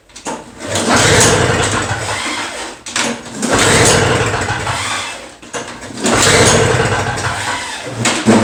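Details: Two-stroke Toro snow blower, new spark plug fitted, choke out and primed: three pull-cord cranks about two seconds apart, engine spins but never fires; no-start.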